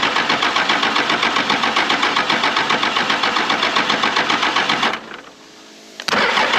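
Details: 1996 Dodge 2500 with 12-valve Cummins, sat 15 years, cranked with fuel on and throttle worked: even starter cranking near four beats a second for five seconds, never catching; air leak at the lift pump starves it of fuel.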